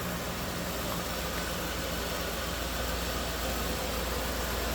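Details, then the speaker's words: 1995 Cadillac Sedan DeVille, 30 years old, actual miles, tech noted slight seeping, running with the hood open: even, smooth idle with a soft, steady hum and no knocks or misses; very smooth runner. "smooth runner. Sounds good."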